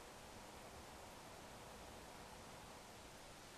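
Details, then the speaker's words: Corsair AX1200 power supply with replacement Noise Blocker Black Silent Pro PK3 fan turned down to about 900 RPM, camera about 300 mm away: soft even airy hiss, no ticking, rattle or bearing growl; smooth quiet running. "and I'm just turning it down again and that's spinning there now that's spinning approximately 900"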